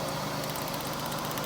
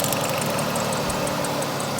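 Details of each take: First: GM 3800 V6 (Pontiac) after fixing P0300 misfire by checking ignition spark on each cylinder; steady, even idle with no stumble or skipped beats, all cylinders now sparking and running smoothly. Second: GM/Pontiac 3800 V6 with P0300 code idles roughly with an uneven, stumbling beat; two cylinders on the second ignition coil show no spark, fixed by replacing the ignition coils.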